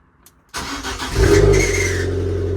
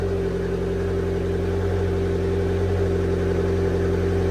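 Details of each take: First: Abarth Fiat 500, freshly serviced (oil, filter, air filter, engine earth wire replaced): brief cranking with a thin high squeak from the starter motor, then the engine starts fine and settles into a fast idle. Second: Abarth Fiat 500 petrol engine just after a mini service (oil, oil filter, air filter, flush beforehand), cold start: brief starter squeak, then smooth, even, slightly raised cold fast idle with no knocks, expected to slow down in a few minutes; normal.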